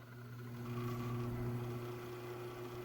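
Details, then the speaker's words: Scratch-built Hammond Leslie cabinet in a 16-space rack: the rotor motor runs with a quiet, steady, even hum and no rattle or buzz. A lock nut and wingnut added on the grill cured the earlier rattle; only slight vibration noise remains. "it is making a small amount of noise from this you can hear it now because this thing vibrates so much when it gets going you're gonna end up dealing with some noise"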